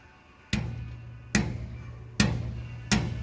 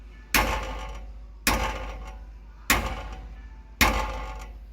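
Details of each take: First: Dodge Ram Hemi with long-tube headers, whose nitrous-pass logs showed knock and pulled timing on the hit. Striking the passenger-side long tube gives four dull, clean thuds that die away quickly with no buzzing chatter; solid header, no rattle. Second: Dodge Ram Hemi with long-tube headers, whose nitrous-pass logs showed knock and pulled timing on the hit. Striking the driver-side long tube gives four knocks, each with a metallic chatter; header tubes sit close and are suspected of rattling together, not the dipstick tube or frame.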